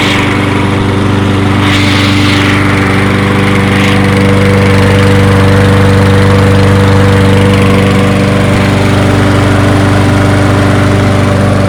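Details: Toro 22-inch Recycler mower burning off excess oil; small single-cylinder holds a steady, even idle with a low regular putter, no misses or knocks; running healthy.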